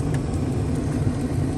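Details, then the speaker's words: 80s GM G-body blower motor switched to max after finding a disconnected cable from the cigarette lighter harness: strong, even rushing whir with steady hum, no ticks or squeal; healthy blower at full speed. "key is switched on it's on off right now we're going to switch it to max look at that now i have airflow"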